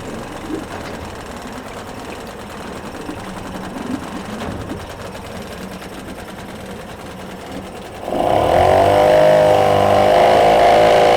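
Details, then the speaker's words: Yamaha 5 two-stroke outboard No. 1 on internal tank, after lowering idle speed, check-port stream flowing: quiet even buzz, then picks up to a loud steady smooth drone without stumbling. Normal running. "The motor runs and works perfectly."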